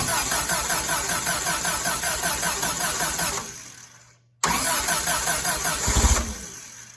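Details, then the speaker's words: Willys CJ3B with a freshly installed F-head engine, first start: sharp, raspy puffing beat sounding loud and open underneath; owner suspects an exhaust leak, not confirmed. Good oil pressure noted. "I'm going to mess around with this get it going a little bit better and see if I can find that exhaust Le cuz it's kind of loud underneath"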